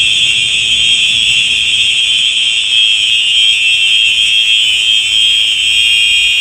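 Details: Simplex 4903 electronic horn strobe set off in a fire alarm test: loud, continuous high-pitched electronic tone, steady and unbroken; normal horn strobe sounding.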